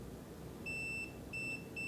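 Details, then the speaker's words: Multimeter continuity test on a scale cable connector: short bursts of a clean high-pitched tone start and stop as the probe touches the pin that matches the orange wire, and the meter shows a closed circuit. "There it is. And you see, when I hear the tone, I'm also getting the measurement on the display."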